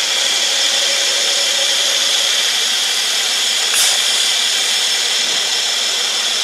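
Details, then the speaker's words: 2014 Mercedes E350 at the oil fill cap: a steady airy high hiss over a faint engine hum; the gauge shows crankcase vacuum where it should be at zero or slightly above, suspected failed PCV/centrifuge cover valve. "you can hear adam air whizzing through a little valve you can hear it's like a you'll hear that"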